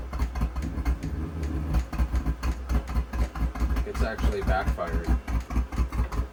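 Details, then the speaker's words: New Vevor XMZ D2 2 kW diesel heater at light-up, about 13 °C ambient, set to 19: glow plug and fuel pump start, flame catches then drops out, low thumps and sharp pops, backfiring smoke through combustion intake; cause unknown. "so it was actually backfiring a little bit of smoke through the intake there through the combustion intake and it just flamed out again"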